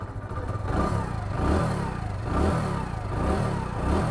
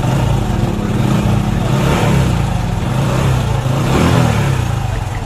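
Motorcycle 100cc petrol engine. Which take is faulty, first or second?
second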